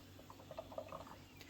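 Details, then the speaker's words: Pressure canner of tomatoes cooling about 10 minutes off heat, left to depressurize by itself: soft irregular pops and gurgles inside the closed pot as water still boils, canner still holds pressure. "i can hear the water it's boiling in the bottom still but it's very very important that you let the canner come down off pressure all by itself do not try to assist it or hurry it up"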